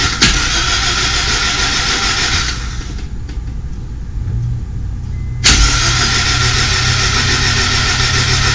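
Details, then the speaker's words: Honda S2000 engine cranked with spark plugs out, fuel off, no coils and throttle closed, to lube everything before the first start. Fast, even starter whirr with no firing or compression pulses. Normal plugs-out cranking. "I'm gonna crank it over without plugs and just make sure everything else gets lubed up nice and easy."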